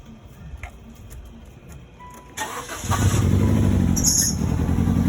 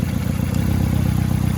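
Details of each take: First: 2001 Nissan Sentra with 92,000 miles cranks and catches into an uneven, lumpy idle with a stumbling beat; code reader points to a most likely bad coil pack, and the check engine light is on. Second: 2001 Nissan Sentra idling after replacing a dead ignition coil pack, diagnosed with a code reader: low, steady, even pulse, no stumbles or skipped beats; misfire gone; exhaust still needs work.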